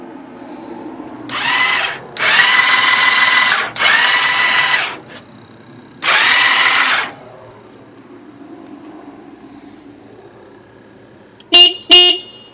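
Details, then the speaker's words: 2001 Yamaha V-Star 1100 Classic Silverado, 6,000 miles, sat for months; extra starter ground added without help: repeated one-to-two-second cranking bursts, engine never catches; cranks but won't start, cause unknown. "The title and everything says it has 6,000 miles on it. Yeah, I can't get it to run."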